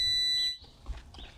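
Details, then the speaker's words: Outboard motor kill switch circuit tested with a multimeter: continuous high meter beep that cuts off abruptly each time the key is turned off; the circuit works normally on both sides. "So the kill switch circuit works fine. It's working fine on both sides."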